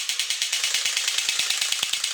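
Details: Quick, even gear ticking, about ten a second, over a light whir with no screech from a 1983 Horikawa Cosmic Fighter tin robot. It had squealed and run slow before the motor was lubed and wires caught in the gears were rerouted; now it runs freely.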